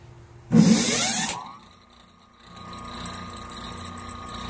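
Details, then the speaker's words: Restored antique Century 1HP repulsion-start induction-run motor, 1750 rpm, 1899/1903 patents, P4 frame, about 80 hours of work: harsh rushing start roar with rising whine, then sharp cut-off as brushes snap back positively. It runs smooth; oil rings rattle, oil baths unfilled. "runs really nice and smooth the action on the brushes when they snap back is a real positive action"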